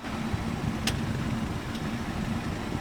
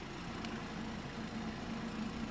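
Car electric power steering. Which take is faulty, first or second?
first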